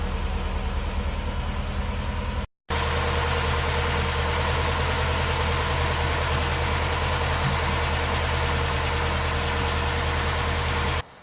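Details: 2005 Subaru STI turbo flat-four just after installing a three-port electronic boost control solenoid, not yet retuned: steady even idle with smooth low rumble, no knocks, misses or hunting; normal.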